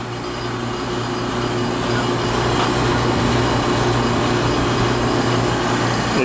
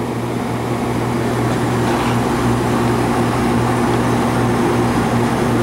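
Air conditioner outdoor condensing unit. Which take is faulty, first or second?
first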